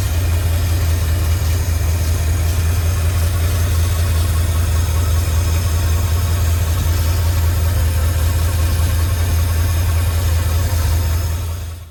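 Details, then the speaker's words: 1952 Cadillac Series 62 barn find, sat for decades, idling after its fuel delivery problems were worked through: deep, steady rumble with an even firing beat and no tapping. It started easily and sounds really nice; a normal idle. "Well, I got to say that started pretty easy. I think she's going to be a reliable starter for somebody. Sounds really nice."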